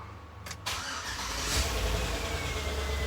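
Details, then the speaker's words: 2004 Chevy Tahoe Z71 that cranked then died immediately: after a brief crank it now catches and runs steadily with no stumble, though the security light stays on. "but she runs security light stays on that wasn't on before"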